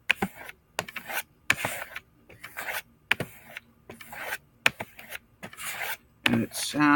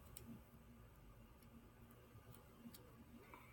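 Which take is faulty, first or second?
second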